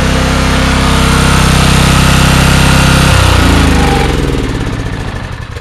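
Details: $100 4,000-watt generator restarted after a brief interruption, not fully cold: an even, deep single-cylinder thrum at a fast, steady pace runs cleanly, then winds down smoothly. It starts and runs normally.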